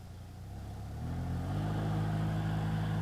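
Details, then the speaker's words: BMW F01/F02 (2008–2015) cabin blower motor: a low droning roar, like a jet, that rises in pitch and loudness as fan speed steps up, caused by a deteriorated mesh filter letting leaves and debris unbalance the fan. "if you have a ventilation blow motor sound like I'm gonna let you hear in a second then it's pretty certain that the filter that's inside the housing is basically deteriorating and hitting the fan"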